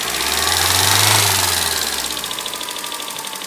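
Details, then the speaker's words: Freshly overhauled Toyota Corolla 4ZZ engine after the chain tensioner was tightened, so the chain noise is gone. Quick light ticking at about 3–4 per second over a steady idle; measured valve clearances are wrong, some tight, some loose. "из- за того, что шум от цепи исчез, но, похоже, механик неправильно отрегулировал толкатели, потому что я только что измерил несколько клапанов."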